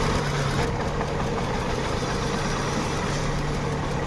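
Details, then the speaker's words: Hyundai Venue (P0300/P0301, ECM not driving injectors 1 and 2) with injector 3 unplugged for testing: idle turns uneven with dropped beat, misfire; injector 3 shows pulse and is OK. "अपना missing कर रहा है और तीन number में अपना pulse आ रहा है तो तीन नंबर ओके है।"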